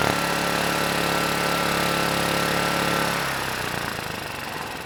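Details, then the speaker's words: Vintage Kawasaki GA1400A 1200 W generator, no airbox or air filter, throttle held at idle by hand: runs hard about three seconds, then sags and fades instead of idling; surging, will not hold idle, pilot circuit of carburetor suspected, adjusting needle made little change. "so yeah if I had to guess I'd say the pilot circuit isn't doing so well"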